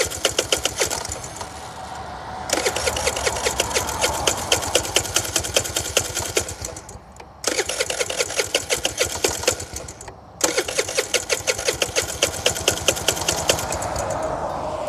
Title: Scooter won't start